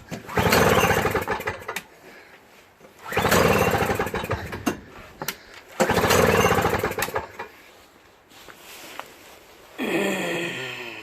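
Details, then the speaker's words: Toro CCR 3650 R-Tek single-stage snowblower found in trash, pull start: three hard pulls, each giving a couple seconds of sputtering pops that never catch; owner suspects it needs a carb clean. "Alright, so, you know, kind of wants to start, you know, probably needs a carb clean."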